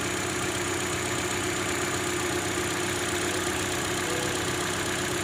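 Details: 2012 Hyundai Elantra, 72k miles, petrol, cold start via remote start: uneven, shaky rough idle after grinding/knocking noise on cold and cool startups, also under extra throttle uphill; starter and engine checked fine, cause unknown.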